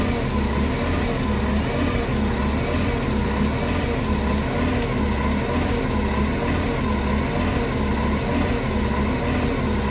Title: 2008 NFI C40LF SDMTS #327 Rough idle at FVTC